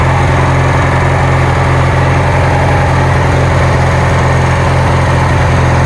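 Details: Kohler Magnum 20 engine on a Wizard garden tractor after repairs, just started after priming and choke: steady putter at about three beats a second with no stumbles or surging; idling normally.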